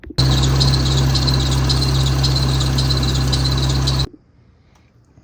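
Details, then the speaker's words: Jeep idling with a constant high shrill squeal at steady pitch until shutdown; belt squeal caused by a failed power steering pump pulley, belt itself in good condition. "when you have that annoying belt squeak that can mean two things a bad belt or a bad pulley let's figure this"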